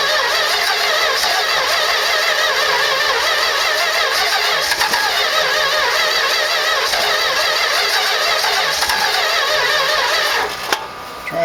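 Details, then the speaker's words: 1969 Road Runner big block with modified 340 distributor, new plugs and wires, first start: long cranking with uneven churning rhythm and no firing; timing suspected too retarded, idle possibly too low, not confirmed. "button pumps here trying to start sounds like i might have the timing too slow um give it just a little bit of advance squirts here you know that idle might be down to nothing"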